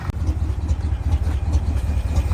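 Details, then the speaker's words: International Loadstar crew cab V8, parked 30 years, first start on choke with slight blow-by: deep, lumpy idle with a slightly uneven beat but no misses or heavy shake; all cylinders seem to be firing. "the motor's not shaking too terribly bad so I think about everything's hitting here"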